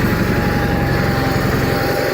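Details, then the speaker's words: 1985 John Deere 318 garden tractor twin, run after three months in storage, idling slow and slightly rough with a faintly wavering putter. Owner says it is hard to start when really cold, stalls if throttled down quickly, the carburetor needs a rebuild, and suspects the low idle is set too low. "when it's really cold it'll be can be a little bit hard to start and it idles a little bit rough if you throttle it down really quick it'll stall out"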